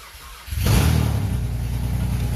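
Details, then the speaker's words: 2006 Subaru GD Impreza WRX (drive-by-wire) with EZ30R flat-six on newly wired Link ExtremeX ECU, first-ever start: brief crank, catches cleanly, settles into deep steady idle; starts and runs fine. "So there you go, dude. That's for a startup, actually. That hadn't started until just now."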